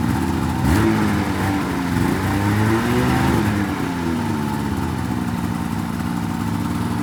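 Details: 2004 Polaris RMK 800 two-stroke snowmobile with full SOP exhaust, bought cheap, running after sitting on bad fuel; blips up cleanly, drops back and settles to a steady even burble, no misses or rattles. Sounds healthy.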